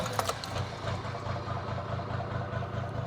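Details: Toyota Land Cruiser HJ61 diesel, fully warm after a drive, restarted after injector replacement: fires and settles into a steady even knocking idle, no misses; smokes on start, which is normal and less than with old injectors; normal diesel idle.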